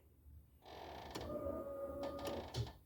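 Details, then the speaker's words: 1987–96 Ford F-150 after a carburetor swap, fuel pump still on the factory relay wiring: at key-on a thin electric whir runs for about a second and then cuts out; the fuel pump only primes briefly. "we're gonna go ahead and turn the key on and uh it just Cycles the pump for just a second"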